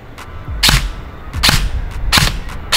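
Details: AEG airsoft gun firing semi-auto after the motor height was adjusted against the bevel gear: crisp single shots about every 0.7 s, cycling cleanly with no drag or grind. The motor is meshing freely at medium height.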